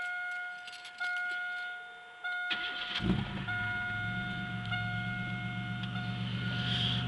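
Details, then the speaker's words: Chevrolet Beretta 3100 V6 cold start just after a new main seal, harmonic balancer and serpentine belt. A chime, then it catches and settles into a smooth, even idle; it runs better with no coolant leak, and the owner says it knocks less. "sounds just like it did before just runs a little better doesn't leak any coolant which is always a good thing"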